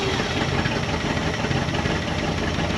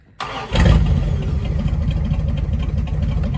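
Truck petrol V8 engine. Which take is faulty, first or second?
first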